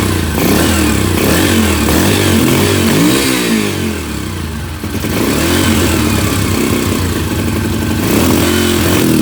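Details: 2005 Yamaha TTR 125, cheap rebuild project with oil checked, after kick-starting: a small single thumping steadily with a few throttle blips, revs picking up and settling cleanly. Bike runs fine.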